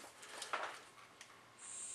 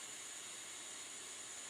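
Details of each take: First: Bernzomatic butane soldering iron: several sharp igniter clicks before the gas catches with a steady hiss; takes a few tries to light. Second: Bernzomatic butane soldering iron running with its ceramic tip glowing: a soft, even hiss with no whistle or sputter, unlike the older torch. The burner is running cleanly.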